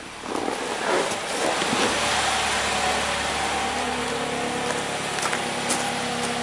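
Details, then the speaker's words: 2009 Chevy Cobalt after P0300 misfire repair with machine-shop refurbished cylinder head (valve job, resurfaced, MLS gasket), codes cleared: even, steady idle with smooth hum, no stumble; normal running. "sounds good let me fill her up with coolant I'll take it first in all right back from the test drive runs like new Pur like a kitten"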